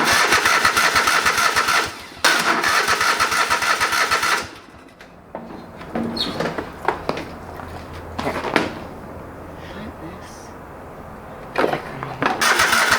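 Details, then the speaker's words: Old lawn mower that sat for years: uneven cranking with a few weak catches and sputters that won't keep running; no fuel coming out, owner suspects fuel pump or blocked lines, brake cleaner sprayed into carb neck. "okay so no fuels coming out so that means there's something wrong with the fuel pump or the lines blocked or something"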